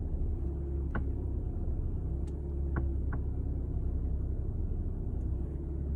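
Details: Skoda Octavia vRS Mk3 creeping at very slow speed on full steering lock, driver's side: low rolling rumble with sharp irregular creaks and clicks; source not identified.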